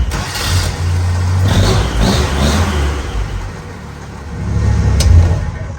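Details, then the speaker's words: Vintage Willys Jeep CJ5 fitted with an upgraded Toyota Land Cruiser starter replacing the old starter with stripped bendix gear: quick, smooth, even cranking, catches cleanly and revs up, no grinding; normal crank and start. "Shoot, yeah, that is so much better than the old starter ever was. Turns over so smooth and so quick."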